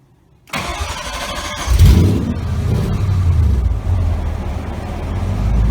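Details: Cobra project car engine after idle control problems on first start were resolved; starter catches within a second, revs briefly, then settles into a steady, even low idle with no misses or knocks.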